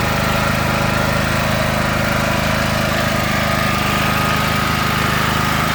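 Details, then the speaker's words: Predator 8750 W inverter generator with a Nash tri-fuel kit, gasoline drained: even, constant drone with a steady low rhythm and no misses or hunting. Running cleanly. "I've already cranked it up, let it run. It runs good."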